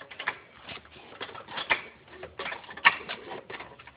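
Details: BMW E46 being jacked up: irregular squeaky creaks and groans about once a second from the suspension; owner unsure, wonders about the spring or the strut top mount, no strut leak seen.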